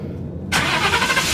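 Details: 2016 Ford F-150 5.0 V8, previously no crank no start, after replacing sensors: short crank, then catches at once and runs evenly; starts cleanly, check engine light off.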